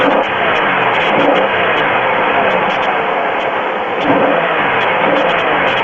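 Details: Pontiac 3.4L GM V6 at idle, oil level full: light, faint ticking over engine hum; owner asks if it's piston slap, noise later stops completely. Cause unconfirmed.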